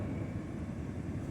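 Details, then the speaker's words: 2010 Honda Odyssey, code 1241: with engine running and climate control switched off, a steady low fan rush keeps going; blower motor stays on unless ignition is off. "i'm gonna turn this off see it's off but still the blower motor is still long air all the time the only time the only way you turn it off when the application has to be in off position"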